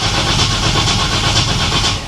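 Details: 1955 Chevy Nomad gasser with the starter found loose, its bolts only finger-tight: steady, even cranking with a smooth churn and no grinding or clicking; the starter engages properly.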